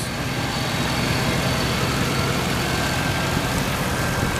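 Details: 1989 Chevrolet Caprice Brougham LS: deep, steady V8 idle with an even rumble, no misses, ticks or knocks; idling healthy.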